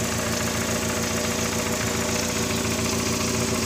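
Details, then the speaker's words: VW Gol with CHT engine, valves already adjusted; light regular ticking about three to four per second over idle, mistaken for valves, actually from play in the clutch shaft/clutch support: clutch shaft play. "Então galera o eixo aqui da embreagem ó tá com uma folga aqui"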